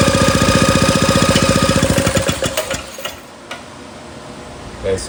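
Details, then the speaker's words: 1937 Maytag Model 92 single-cylinder two-stroke, first try after priming: quick sharp popping about four a second, fading and stopping after two seconds; engine runs briefly then dies, likely not yet picking up fuel. "Well, it popped right off on our uh on our prime. I don't think it was feeding fuel that yet, but we probably got to keep uh pulling on it. But it runs."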